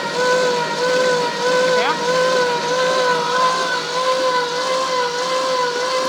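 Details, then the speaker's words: Classic Ford Mustang with a swapped engine, revived after years of sitting: the once-seized engine now cranks freely on the starter, steady mid-pitched whine with even pulses, battery charge unknown; afterwards fluid seeps from a pushrod as pressure builds. "So this post to the solenoid is just telling the solenoid to turn on and send power through here. So from this wire through the solenoid to this wire, which turns the starter."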